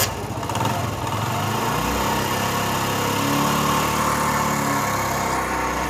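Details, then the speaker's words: Honda CD 70 (70cc) motorcycle idling with a loose, uneven chattering rattle over the beat from a worn, noisy timing chain; if left, it may damage the oil pump sprocket teeth and starve the engine of oil. "तो दोस्तों यह motor bike की basic sound है और हम time को भी बचाएंगे और यह इसके अंदर आवाज आ रही है"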